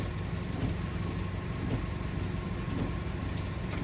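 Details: Car idling during a running-voltage battery test as high beams, wipers, fan and air conditioning are switched on: steady, even idle with a smooth low hum and no dips; voltage holds about 14.2; healthy.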